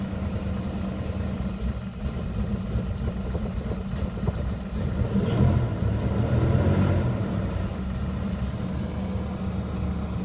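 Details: 2000 Jeep Grand Cherokee Laredo 4.7 at 175k, replacement block after head-gasket overheat: rough idle with uneven loose knocking about four per second, sputter at 1000-1500 rpm, coil/misfire codes; mechanic diagnosed two slapping pistons and slack timing chain.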